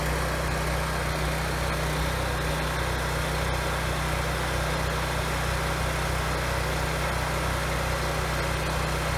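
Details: 7-year-old Husky generator, Subaru EX30 engine, after carburetor rebuild and pilot jet drilling: steady even low drone under load; surge almost gone at about 900 W, good at 1500 W; no-load surge remains, possibly idle circuit.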